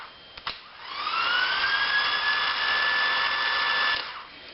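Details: Starter from a 2000 Ford F150 5.4L, bench-tested on 12 V after tapping a sticking solenoid: whine climbs quickly to a steady high pitch, holds about three seconds, winds down; starter motor spins freely.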